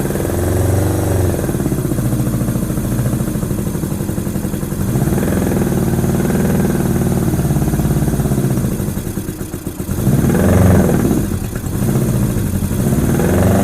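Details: 1987 Honda GL1200 Goldwing, first start in many years, cold, choke inoperative: uneven, lumpy idle that surges and sags with stumbles and loose clatter, smoked at first. Rough running; owner suspects insufficient fuel supply and carburetors needing cleaning.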